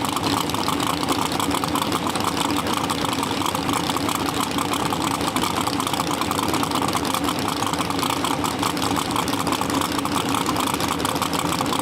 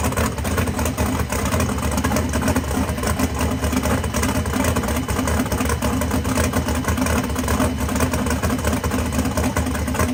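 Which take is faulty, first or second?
first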